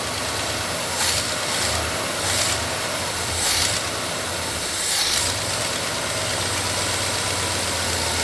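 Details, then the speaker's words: Restored 1970s–80s GMC truck first running after nearly 40 years, blue smoke from oil burning off the manifold, possibly needing more timing; weak, faltering idle with repeated hissing air surges, suspected severe vacuum leak, source unknown. "Yeah, I don't know what that is, but it is a hectic vacuum leak, wherever it's coming from."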